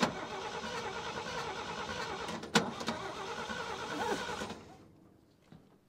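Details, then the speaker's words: 1957 International Harvester A120 pickup sitting about 30 years, choke partly closed, starting fluid used: cranks steadily about four seconds but never fires; suspected bad coil or bad spark plug wires. "coil it's got to be either bad coil or bad spark plug wires"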